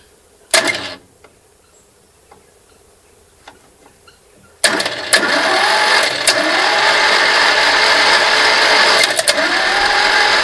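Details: Barn-find bespoke three-wheeler with Citroën 2CV flat-twin engine, stored 25 years, starter jumped at solenoid: after a quiet stretch it cranks about three beats a second with no firing; cranks but won't catch, points to be cleaned.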